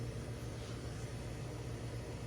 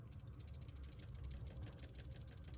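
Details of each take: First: General Electric fridge that stopped with no power, revived by cooling the overload protector socket: compressor now runs with a quiet, even low hum, no clicking or cycling, expected to run a few hours until the protector heats up again. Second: Refrigerator compressor overload protector, removed and shaken by hand after the fridge lost power, gives a light quick rattle of tiny clicks over handling rumble; rattling suggests the unit is bad, suspected rather than confirmed.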